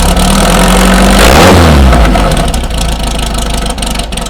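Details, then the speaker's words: VW Beetle after replacing the noisy old alternator and fan and fitting a serpentine belt system, cold-ish start after sitting 2–3 days: engine catches first try and settles into a steady, even idle with no knocking; runs and charges normally. "So we got the nice scat serpentine belt system on there. All systems are good. She runs, she charges."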